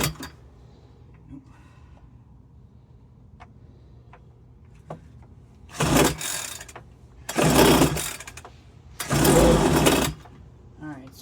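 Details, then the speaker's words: Homelite UT08572 30cc backpack leaf blower, a two-stroke marked "fix me," with the choke in the start position. Three short pull-start bursts with quiet gaps, and it never catches and runs. Cranking with no start; fuel suspected. "So, I guess I'll just crank it a little bit more before I give up and try to figure out what's wrong with it. It's trying."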